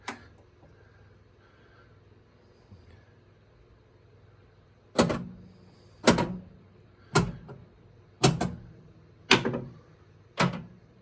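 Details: Gottlieb System 80 pinball (Amazing Spider-Man) solenoid test on a repaired RottenDog MPU board: a quiet hum, then sharp single coil clunks about once a second in sequence, each firing cleanly. Solenoid drive normal.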